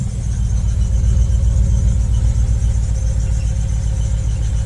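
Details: Ford Focus ST 5-cylinder, new MAF sensor fitted: low, lumpy idle with uneven beat and occasional dropped pulses, bogging down; still misfiring at idle, not solved.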